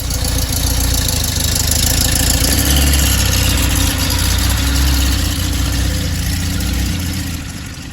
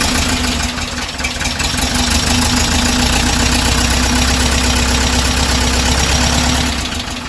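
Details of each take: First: 1968 Porsche 912 air-cooled flat-four with rebuilt carbs, after turning both idle mixture screws a sixth turn right: steady even low burble at idle, smooth with no knocks or misses; idling cleanly. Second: 1968 Porsche 912 air-cooled flat-four with freshly rebuilt carburetors, before idle screw adjustment: steady but loud idle pulsing about four times a second with low drone; idle speed set incorrectly, both idle screws then turned a sixth to the right.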